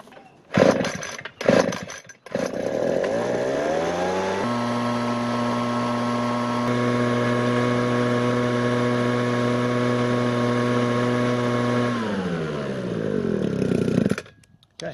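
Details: 2012 Ryobi RBV26G 26cc two-stroke leaf blower, revived and tuned, with pitot tube measuring airflow: revs climb cleanly to a steady high scream at full throttle, hold for seconds, then drop; runs strong and even.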